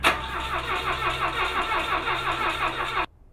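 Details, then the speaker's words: Points-ignition rally car during cranking: starter churns in an uneven, labouring rhythm for three seconds without catching; slow crank, no start; battery running down or starter getting hot suspected. "I don't know if our battery's going down. Crank it again. Okay, keep cranking. All right, give it another shot. It could be the starter's getting a little hot."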